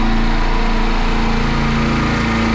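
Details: Midmark Power Air dental compressor after fixing an air leak at the pressure switch and adjusting the switch: both motors running with a steady, even drone, no knocks, rattles or surging; normal running.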